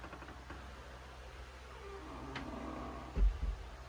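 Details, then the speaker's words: Door closer (possibly a Boss 4.224, the store's first closer, non-original arm) cycling with grease removed: a faint dry squeak as it swings the door shut, then a sharp double pop at the end from a badly popping worn hinge. "And my door is really start my door is a bit poppy right now cuz that hinge and that hinge is popping really badly. I taken out all the grease cuz I like squeaky door."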